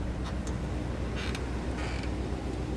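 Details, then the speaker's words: 1977 Chevrolet Monte Carlo with 305 V8, 38,735 miles believed original: deep, even V8 burble at idle, steady, no knocks or misses. Normal idle. "It sounds like a brand new 1977 Monte Carlo. Sounds good, looks good."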